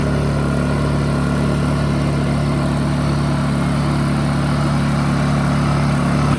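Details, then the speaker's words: Honda EU2000i generator after carb cleaning, about 10 minutes running, powering a fridge, checked for leaks: constant even hum at steady speed, no surging or hunting; runs smoothly, still needs carb rebuild. "I have it running I've had it running for about 10 minutes now I'm gonna let it run for about another 20 checking for leaks"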